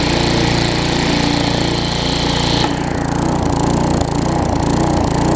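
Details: Tecumseh vertical-shaft engine on a weed trimmer after carburetor replacement, with the trimmer engaged under load: the earlier no-load surge smooths out into a steadier, even beat, no hunting; carburetor running properly.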